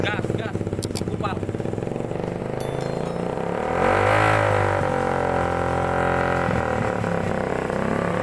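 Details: Suzuki Satria FU two-stroke, first start after replacing the cylinder block and piston set over rough noise, smoke and hard starting: a crisp idle buzz swells around four seconds then settles, running evenly with no rattle or misfire.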